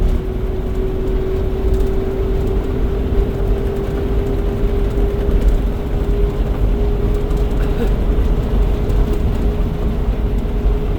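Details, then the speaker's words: 2004 Four Winds Class C motorhome past 45 mph: a steady mid-pitched drone over road rumble, quieter than before; owner suspects the parking brake shoes were adjusted too tight and have worn in, cause not confirmed. "Okay, we're we're past the 45 mph. It kind of seems like it's uh not as loud."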